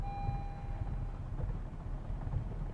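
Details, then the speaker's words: 2021 Honda Civic Type R, running: an anti-theft relay cuts the fuel pump, so the engine sputters, runs rough and stalls as fuel runs out. It sets a low fuel pressure code, and pressing the pedal gives no acceleration. "So we do get a code, and that code's going to be for low fuel pressure. You hear it stalling out? Definitely sputtering."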